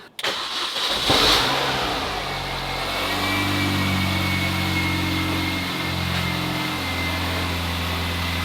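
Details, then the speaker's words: Supercharged Mini Cooper S, off the road over 3 years, after correcting coil packs fitted to the wrong cylinders: quick crank, clean catch, then a steady, smooth idle. No exhaust blow since the exhaust was welded, and no misfire. "Success. And there's no horrible blow obviously because it's been welded up. It actually Sounds pretty nice."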